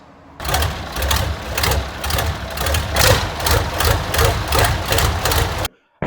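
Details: Smoky Farmall M tractor engine: lumpy, uneven chuffing at about 2.5 beats per second with beats dropping out; misfire, cause not yet found.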